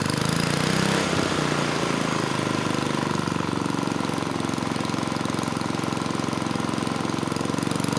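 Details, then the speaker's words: Tecumseh 3 hp (HS35) single-cylinder on mid-1980s Troy-Bilt Junior tiller runs a fast, steady buzz and stays at high speed without settling. Governor not controlling speed; owner suspects internal governor failure, or possibly misadjustment. "pretty sure the governor is not working at all so there's two possibilities either it's broken inside the engine and given the way this arm moves I'm leaning towards that or potentially you know the governor's out of adjustment"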